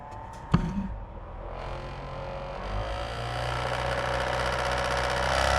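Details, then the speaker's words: PS3 console at power-on: a click, then the fan spools up into a rushing roar that keeps climbing, far too loud. Console described as not healthy with nasty problems. Loud fan noise. "This thing is definitely not healthy. It's got some pretty nasty problems, but I'm going to give you guys a listen so you can see what it is that we're dealing with here."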